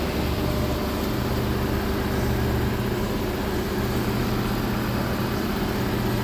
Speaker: So they didn't remove the exhaust. I definitely have an exhaust leak up here.